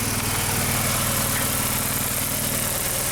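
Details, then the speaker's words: 2001 VW Jetta Wolfsburg 1.8T (180) bought non-running with a disassembled, temporarily routed engine harness, just started: lumpy, stumbling idle with shaking; codes show random misfire and cylinders 2 and 3 misfires (P0300, P0302, P0303). "so we have random misfire and cylinder number three and still the number two misfire"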